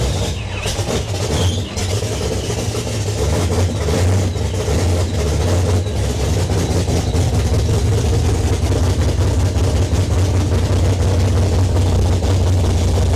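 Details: Foxbody 402ci stroker Windsor V8, Vortech T-1 supercharger, big custom HR cam, TFS R heads, long tube headers, Holley EFI, freshly built: deep loping choppy idle with throttle blips rising and falling cleanly, no leaks; normal idle and revving.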